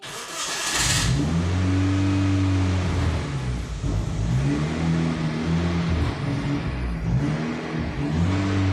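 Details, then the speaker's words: Ford with turbo engine conversion: the engine keeps going only on repeated throttle blips, pitch swelling and sagging, with zero idle and dying immediately without gas; still a bit smoky, idle control valve suspected, cause unknown. "part [Music] so it has absolutely zero Idol and like I said I have no re reason to understand why that is"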